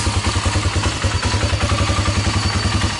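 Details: 1996 Honda TRX300EX ATV after an ignition/starter no-start traced to the internal neutral and reverse switches, reconnected, and a bad starter solenoid: single-cylinder thumping at about three and a half pulses a second, firing consistently; running normally again.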